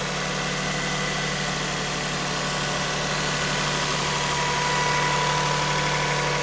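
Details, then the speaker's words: 2001 Lexus RX 300 with 240,745 miles, just started: smooth, even idle with a steady low hum and no knocks, ticks or misses; engine sounds pretty good, running healthy at rest. "sounds pretty good"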